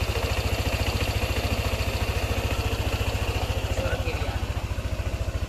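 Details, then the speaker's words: Yamaha NMAX scooter that came in with a ticking noise suspected from the valve rocker arm/camshaft area, after repair including the tensioner and refilling the radiator; even, steady putter with no ticking; normal idle. "Suara mesinnya terdengar halus, kan?"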